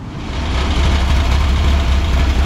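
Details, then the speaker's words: Engine idling after fixing a bad coil and fouled spark plugs; steady deep idle settling in after startup, even rumble with no misses or stumbles, running smoothly. "got it running had a bad coil and fouled spark plugs so i got this monstrosity running"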